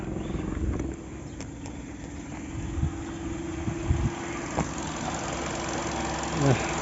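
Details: Hyundai Accent petrol engine idling with a steady low hum, running evenly with no misses, after a clicking, no-start low-battery fault was serviced.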